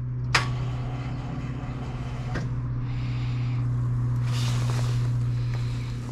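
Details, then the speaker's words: Fendt tractor at minus 7 °C, battery about 12.6–12.7 V dropping to 11.8 V when cranking: sharp clunk then weak steady electrical hum, engine never turns over; starter failed, 2 of 4 brushes came unsoldered. "Im Endeffekt 2 von 4 Kohlen haben sich abgelötet."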